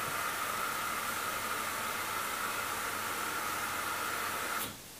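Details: Hoover Dynamic DXCC69IB3 9 kg washing machine (1600 RPM max) starting a 14-minute Rapid cycle at 1200 RPM: smooth, even rushing hiss with a faint steady tone, then a sudden cutoff; a quiet, normal cycle start.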